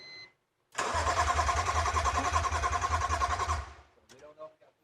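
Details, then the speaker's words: BMW E46 M3 Touring wagon with swapped S54 engine, first start attempt after M3 steering column and EWS swap; starter cranks evenly about 3.5 beats per second for nearly three seconds but never catches. Fuel pressure to be checked next. "We don't. It's trying. At least it cranks."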